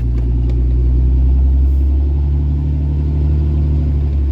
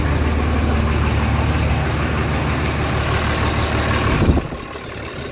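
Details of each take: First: Diesel truck after injector replacement: deep, steady, even rumble with no ticking or puffing at the front. Quieter up front, louder at the rear: normal running. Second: Diesel truck just started after installing brand-new 50-over injectors: idle rumble with a fairly steady clack about three times a second at first startup, source undetermined. Clacking noise at startup.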